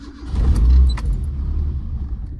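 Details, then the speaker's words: Escort RS2000 turbo, built 2.0 N7A 16v with 1050cc injectors and Garrett T34, about 230 miles, new ECU map loaded, started out of gear with no throttle: catches, briefly dips and cuts out, then rough idle; stumble from over-rich map. "No thrott. Slight cut out. Okay, perfect."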